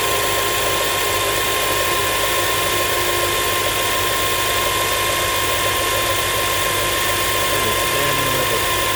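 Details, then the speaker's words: Comparison pump with no problems: smooth constant hum with steady high whine, no fizzing or gurgling, a healthy power steering pump. "let's compare it to a power steering pump let's compare it to a pump that has no problems or any type of"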